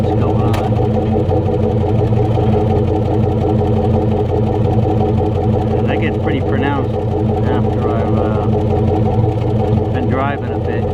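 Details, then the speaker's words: 1996 Chevy Tahoe V8, warm, idling at a stop: uneven, puffing chuff from the right-side exhaust only, no codes set, not felt once rpm rises off idle; misfire from failed 2-year-old spark plug wires. "it's all warmed up it'll sit at a light or whatever stop it'll relax the shake a bit doesn't seem to can't feel the effects when you're driving once you get the RPMs up off the idle but something ain't [Music] right"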